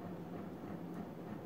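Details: Casablanca Panama II 50-inch ceiling fan, made 2000, Comfort-Touch control: steady low hum with a rough rumble underneath and no rhythm; the motor is noisy, control works fine, bearing seemed fine.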